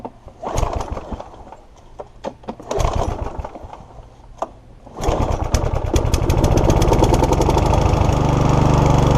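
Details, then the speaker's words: Mountfield HP454 lawnmower unused in a garden for 4 years, before carburettor clean: sputters and coughs in uneven bursts before catching, cutting out as soon as taken off choke; blocked carburettor jets causing stalling, later fixed by cleaning carb and replacing fuel cap. "I did try it again as well afterwards as soon as I took it off a choke it want you to cut out"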